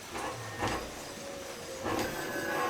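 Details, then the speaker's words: Home-built 72V 12,000W hub-motor electric dirt bike on a Kawasaki KX250 frame, battery charged about an hour and a half after failing to run: steady electric hum with mid-pitched whine and light clicks, no grinding; motor running normally. "okay so it just uh it just needed a charge thankfully so yeah thank god because i thought this i thought this was like a lemon or something"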